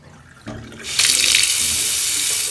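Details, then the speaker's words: Low water pressure complaint in a three-bathroom house, after refitting: strong, steady hiss of water gushing from the tap with no sputtering or surging; flow and pressure improved. "I knew there was enough flow. That's a bit better, isn't it?"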